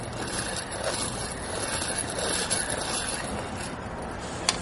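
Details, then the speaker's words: Removed Ford truck wheel hub assembly, 92,000 miles, badly rusted, turned by hand: steady rough, gritty rasp of a worn grinding wheel bearing; the new hub turns without grinding. "You see this assembly is in bad shape. You can hear it grinding."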